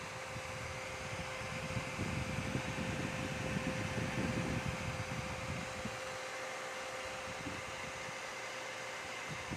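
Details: Dell OptiPlex 3020 desktop: loud, steady rushing air with a constant high hum on top, surging slightly; the cooling fan runs noisily.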